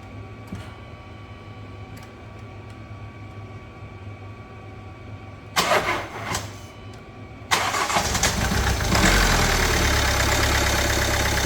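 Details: Kia Sportage 1.7 diesel after cleaning injectors, new copper seals and a new rocker cover: short crank, catches cleanly and settles into a steady, even idle clatter with no misses or knocks; afterwards a fuel leak at injector 1 is fixed by clicking its clip in.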